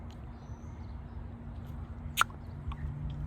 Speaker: so now whenever i suck on this combi valve this new one let's listen to this one do you hear that crisp little tap